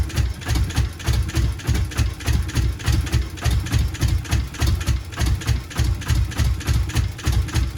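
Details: Subaru GC8 with EJ207 STi shortblock, first start after injector install: lumpy, uneven idle with heavy dum-dum pulse under two beats a second; one bank has never fired, engine running on one cylinder bank.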